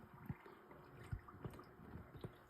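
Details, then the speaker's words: Hemi engine, part 2 of repair: soft, irregular coolant gurgles about every half second at the radiator filler neck, phone near the radiator hose, as air bubbles work through the cooling system. "oh L one in here you can hear bubbles how do you hear bubbles"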